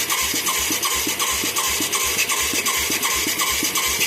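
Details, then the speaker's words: Mid-1980s Yamaha YFM200 Moto 4 ATV with a new carburetor and spark plug: steady starter cranking at about 160 compressions per minute with a scraping whir, never catching. It has good spark, a soaking wet carburetor and good suction. Owner suspects a badly off mixture or the wrong jet. "I'm amazed we're not getting a pop here. We got good spark. We got soaking wet shit right here."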